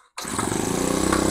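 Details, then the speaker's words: Honda GX25 sprayer pump engine with a starting problem from lost compression, blamed on infrequent oil changes. After coconut oil was added to the engine, it catches at once and runs with a fast, even chatter and regular firing; compression is restored. "Already compulsion వచ్చేసింది engine start అయింది"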